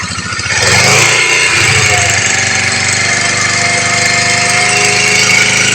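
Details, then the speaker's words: Honda CBR motorcycle after the cam chain tensioner was cleaned and tightened, started after long disuse with a weak battery: the engine catches after a brief start and settles into a smooth, even idle with no cam chain rattle; the noise is fixed. "Oke Guys akhirnya berhasil ya teman-teman sea motor bunyinya normal kembali"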